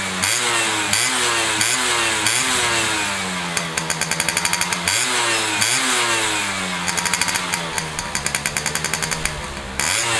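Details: Restored Yamaha F1ZR two-stroke with a rebuilt stock (STD) engine and full clutch: crisp blips rise and fall cleanly about every half second, with clapping over them; revs freely and sounds healthy after restoration.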